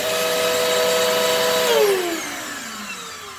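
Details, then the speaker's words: Bissell Pet Hair Eraser vacuum, no brushroll shut-off, expected loud: steady multi-tone whine that drops as the motor spins down; doesn't sound right but fairly quiet, cause unclear; headlight works, has suction. "I'm expecting this one to be loud it doesn't sound right but it's not loud it's still pretty quiet"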